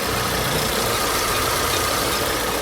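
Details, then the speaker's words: Fiat Palio petrol engine revved after a timing belt job and a new water pump: faint steady high-pitched squeal from the slightly cut external accessory belts, no longer the timing-belt noise. The noise stops with the external belts removed. "Tá chiando um pouquinho. É externo. Se tirar as correias de fora não dá mais barulho."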